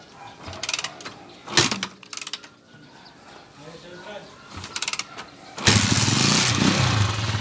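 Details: 20-year-old Honda TMX155 motorcycle after overhaul (previously noisy despite replaced timing gear): handling clatter, then engine fires and settles into steady, even idle with no knocking; normal start.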